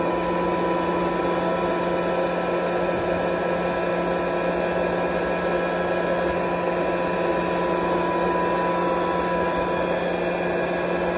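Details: Curtis 25 hp 480 V electric air compressor, belt-driven Roots-style twin counter-rotating rotors, oil-cooled, started unloaded after reset: constant steady motor and rotor drone, clean even tone, no knocking or squeal; running normally.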